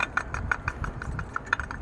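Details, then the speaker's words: 2009-2019 Toyota Corolla 1.8 with engine running: sharp, even ticking about six times a second, resembling camshaft noise, from a worn water pump bearing; pulley wiggles by hand, so the water pump is replaced. "do you hear that noise bad bearing has a bad bearing so when the engine runs it makes this"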